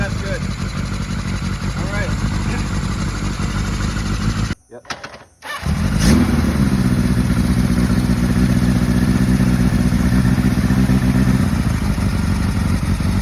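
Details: 1980 Kawasaki KZ1000G (Z1 Classic) after plugging carb vacuum-sync ports left open (which caused lean high revving): a short crank, then engine catches and settles into an even, steady idle with no hunting.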